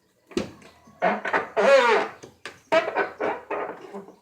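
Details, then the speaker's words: 2010 Volkswagen Voyage (Gol G5) door: squeaky groaning creaks in short bursts as the door swings, from the door check strap; already present when bought. "Esse barulho, pessoal, eu já verifiquei, é proveniente aqui de do negócio da porta aqui, ó. Na verdade é uma peça que não deixa a porta ir mais pra fora, ó. E faz esse barulho."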